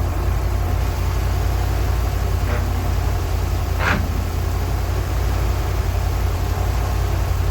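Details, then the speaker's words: 1980 ramp truck, 351M V8, running again after ~25 years sitting, fuel pump hooked up: deep, steady rumble with even beat, no knocks or misses; sounds pretty good. "Okay, sounds pretty good."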